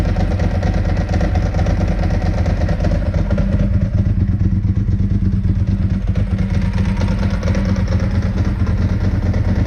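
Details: 2002 Ducati 748 V-twin, first run after fixing the water-contaminated fuel tank, fuel sender and pump wiring, and fitting new hoses: deep, lumpy idle running steadily without stumbling, runs as it should.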